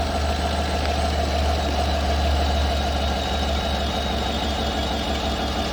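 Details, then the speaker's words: 2018 Chevrolet Suburban LS V8 after overheating, bank misfire codes, suspected blown head gasket: lumpy, uneven idle with a low pulsing beat that never settles; exhaust leak heard, misfire, cause not confirmed. "I have an exhaust leak just like I expected. But other than that, I don't know, but it sounds... I don't know. We got some leaks, no doubt about that."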